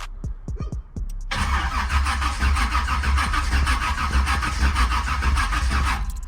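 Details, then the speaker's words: Car just fitted with a 700R4 transmission and not started for about a month: the starter turns over sluggishly with slow, uneven pulses and never catches. Battery voltage drops to about 10 V while cranking, so the battery is too low and needs charging. "ain't enough juice to start up cranking it over it was going down to like 10 uh 10 volts so I got to put this got to put this battery on the charge man"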